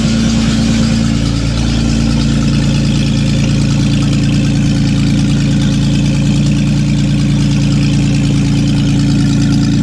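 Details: Datsun 280Z first start in many years, fogging oil put down the spark plug holes; loud, raw, steady idle drone with hard low rumble and no muffling, no exhaust fitted, running straight out of the open manifold.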